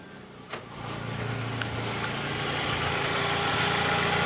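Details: Fiat Palio after fitting a new ignition coil to cure a dead cylinder 3 misfire. Catches at once and settles into a smooth, even idle with no stumble or skipped beats; all cylinders now working.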